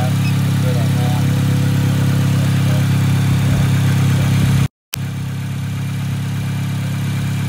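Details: Acura RSX flagged with a P2500 alternator code, started to test the starter and alternator (about 14.5 V, battery good): it settles into a steady, even low hum with no knocks, misses or squeals. Normal idle.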